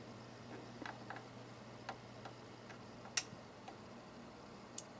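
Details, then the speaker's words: Extech 382270 quad-output bench power supply repair: brand-new 24 V coil relay bench-tested with rising voltage; single crisp click over low hum as it pulls in around 13 volts, relay working normally. "i just heard the relay click around 13 volts"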